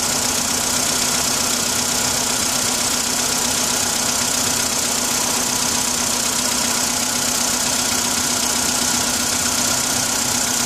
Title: Стук на холодную